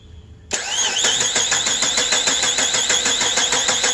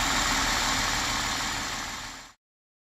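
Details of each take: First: 2003 Chrysler Sebring 2.7 after used-engine swap and timing chain replacement, cam and crank sensor signals being scoped: starter cranks evenly about three turns a second for four seconds, never fires; wrong cam sprocket reluctor confusing the computer. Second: 2003 Chrysler Sebring 2.7 V6 idling after a used-engine swap, timing chain and set replaced, reassembled; steady even idle with airy hiss, no knocks or misses. Earlier no-start blamed on a very dead battery. Running good now.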